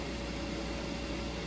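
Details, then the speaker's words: Munchkin Contender MC-50/MC-80 gas boiler lighting on thermostat call after yearly combustion chamber cleaning with CLR and burner part service: steady even roar with faint fan hum, no popping or rumble; good spark, normal burner operation. "Thermostat goes on, it kicks on your boiler. Right now the gas is going through your system. There's your flame."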